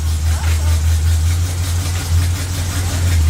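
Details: Chevy truck with 305 V8 just after transmission installed and fluid added: deep, steady idle rumble through reverse, neutral and drive with no clunks or slips; header leak noted; engine and transmission sound healthy.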